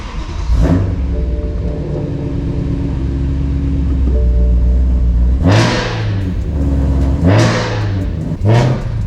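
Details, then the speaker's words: Supercharged BMW E92 M3 on its first drive with a manual boost gauge fitted: loud engine pulls through the gears with a rising supercharger whine tracking revs, but the gauge shows around 20 of vacuum and zero boost. "hear my supercharger whining the gauge is working around 20 pounds of vacuum so we got vacuum we're pulling all sorts of let's vacuum if this building boosts i'm crying"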